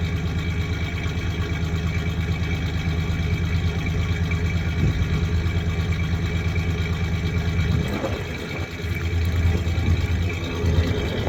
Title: 1993 ford ranger 3.0 v6 idling and trying to find the misfiring cylinder